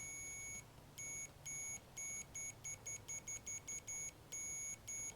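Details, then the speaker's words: Ignition points from an antique Briggs & Stratton engine off a homemade mini farm tractor, continuity-tested: clean high beeps in uneven bursts, one each time the points close. They make contact properly. "Alright, cool. So now we know the points work."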